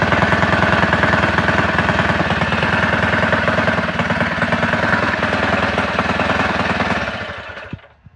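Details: Predator 224 rebuilt with aluminium flywheel, advanced timing key, ported PWK carb and Predator 212 blower housing, freshly wired to key: crisp, even single-cylinder chatter at steady fast idle for seven seconds, then shut off; normal running.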